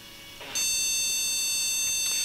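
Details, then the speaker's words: Flea-market PC tower (PC133 RAM) powered on with RAM removed: long high steady beep about two seconds, repeating continuous long beeps at power-on; BIOS code for no memory installed. "it's telling us there's no run those long bleeps"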